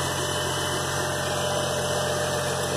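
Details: 2003 GMC Envoy 4.2 V6 after replacing the bad coil pack and all spark plugs: a steady, even idle with a smooth low drone and no stumbles; the misfire is cured.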